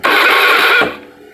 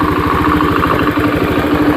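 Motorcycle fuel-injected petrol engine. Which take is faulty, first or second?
first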